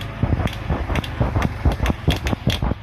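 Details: Hero Super Splendor motorcycle won't self-start despite a fully charged 12.56 V battery: sharp, even clicks about three per second from the cut-out relay with no cranking; the engine won't turn over.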